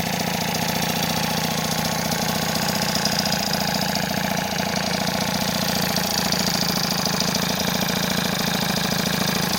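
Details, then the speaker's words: Freshly assembled 70cc Transval T3/T5 two-stroke scooter engine: steady, even buzz holding a constant pitch with no surging. The stable idle shows no air leak after the joints were sealed with gasket paste. "plus voilà le régime est stable ça c'est cool ça veut dire qu'il y a pas de prise d'air"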